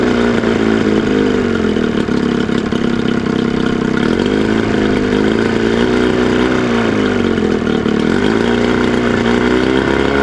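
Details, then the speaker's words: Cheap Johnson outboard two-stroke, first run after good spark and about 115 compression per cylinder: buzz sags and wavers at the bottom of idle between throttle blips, nearly stumbling; idle too low, idle screw needs adjusting. "pretty damn good. Need to adjust the idle screw on the side here."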